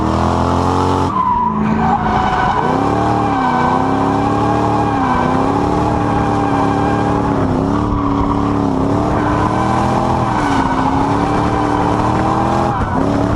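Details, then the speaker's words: Toyota Soarer drift car, 1UZ V8 with M90 supercharger on a 10-pound pulley, intake temps above 100°C: loud whine rising and falling with revs; supercharger spinning faster than it probably should, causing the whine. "I was blown away with just how much that little supercharger whines. Yeah, it's spinning a lot faster than it probably should do, which is part of the reason for the noise, I suppose."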